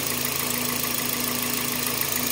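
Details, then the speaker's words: Toyota after replacing faulty Mitoyo part with surplus original Toyota Japan part that fixed vibration: even settled idle, steady low hum, no shake; normal idle, vibration gone. "Ayan, wala nang vibrate oh. Tahimik na ulit yung andar niya."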